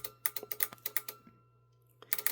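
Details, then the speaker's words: Chrysler Crossfire relay control module on bench test, fuel pump relay energized by tapping positive lead with negative on A3: crisp, consistent clicks each tap; fuel pump relay works normally. "you can hear it and see it fuel pump in this case is good"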